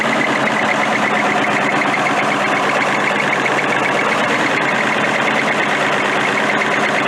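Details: Military Deuce 'n a Half diesel truck running after an ether start, with fuel delivery problems and a suspected air leak: even, continuous hum with no misses or knocks; runs smoothly.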